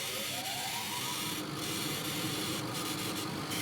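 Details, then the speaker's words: CO2 glass-tube laser cutting card in pre-ionization mode at 80 mm/s (normally 60): steady airy hiss with short louder bursts and a faint rising tone underneath; cutting normally and well. "notice how noisy the hissy the cat is"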